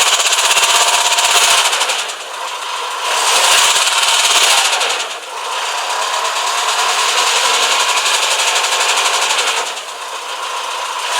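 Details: 2007 Renault Espace IV 2.0 dCi M9R diesel, 150,000 km: sharp, rapid metallic knocking, about four a second, swelling when revved; suddenly appeared, from the timing chain area (left of head), quieter when cold; injectors checked OK.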